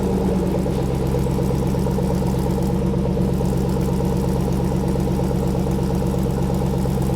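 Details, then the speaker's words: Jeepster at its final build stage with newly completed exhaust, sitting on the ground: engine catches and settles into a steady, even idle with deep smooth exhaust burble, no knocks or rasps; sounds good, normal idle. "Does sound good. I like it. like it. Pretty good."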